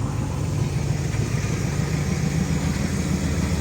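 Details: 1970 Pontiac LeMans four-door, revived after 30 years parked: deep steady even idle rumble, no misses, knocks or ticks; owner says it runs too good, normal idle.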